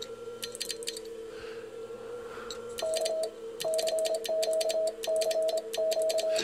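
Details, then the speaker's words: Walford Electronics HF linear amp kit, QSK at 25 words per minute (30 wpm damaged relays): rapid crisp relay clicks keeping pace with fast Morse keying and beeping tone; changeover relay switching normally. "25 words a minute the qsk works fine I tend to cruise around 18 to 21 normally and it's perfect absolutely perfect"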